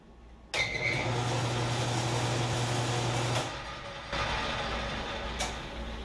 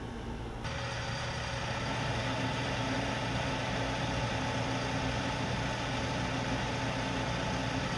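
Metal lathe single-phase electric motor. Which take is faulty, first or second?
second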